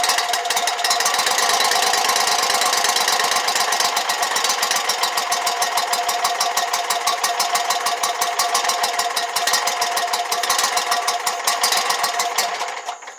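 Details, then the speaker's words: Exmark Lazer Z 72-inch commercial mower with a no-start, fuel refilling the carburetor: rapid, steady starter cranking with fast ticking rhythm, then winds down without catching yet; normal cranking. "like i said it's going to take a minute for it to get gas in there"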